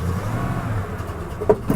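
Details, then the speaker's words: 1994 Ford F-150 XLT listed at auction with mechanical damage, started on the lot; it tries to stall whenever given gas. Rough, lumpy idle with sharp pops when the throttle is touched; the cause is not confirmed, and it needs work. "oh hear it popping she's gonna need a little work she's gonna need a little work"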